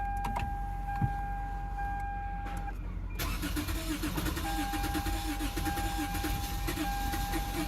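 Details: Lexus GS350 that had no electrical power after a battery install, restored with a 40 A maxi fuse: the starter churns on and on with a warning chime and never catches. Cranks but won't start; possibly no gas.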